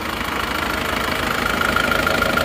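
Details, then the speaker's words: Turbo Isuzu Panther diesel idling in a comparison of one engine with replaced liners and one with reversed original liners, same temperature, same oil brand, original cleaner; even clatter, faint turbo whistle, no misfire, clean exhaust at idle. "yang Turbo suaranya seperti ini sekarang kita beralih ke ini yang non Turbo ini kita gas suaranya juga sama"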